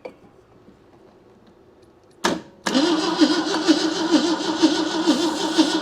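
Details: 1971 AMC Gremlin sitting since about 1984, weak spark suspected, choke closed, battery running down: after false starts the starter spins steadily about two beats a second with no firing; cranks but won't catch.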